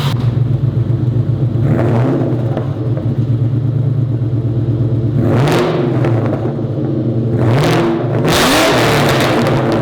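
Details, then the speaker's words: SVT Terminator Cobra V8 first start after new wrapped aftermarket headers, wraps smoking: deep, even rumble climbing through quick blips and settling smoothly; tone deepened and slightly louder through the existing Triple S exhaust, new exhaust system still to come. "But yeah, it definitely deepened the tone of the current exhaust, the Triple S exhaust system. It did get a little louder, but once we put the new exhaust system, I'm pretty sure we're gonna see a drastic improvement in how loud it gets."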